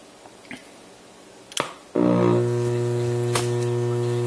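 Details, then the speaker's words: 1971 NuTone Model 2541 AM/FM radio intercom master station, 44 years old, switched on: click then loud steady low buzz that stays constant; power supply has completely failed, letting mains hum through. "and right off the bat you have a lot of power supply hum this set is 44 years old and the power supply has completely failed"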